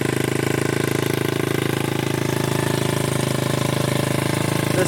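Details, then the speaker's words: 1981 Honda XR80 with paint-can exhaust, first-kick start after freeing a stuck carburetor float: a steady, even single-cylinder thump at about 200 beats a minute with no misses. Healthy idle, possibly set slightly high. "paint can exhaust is looking glorious sounds fantastic oh yeah sounds pretty good cannot beat an old Honda"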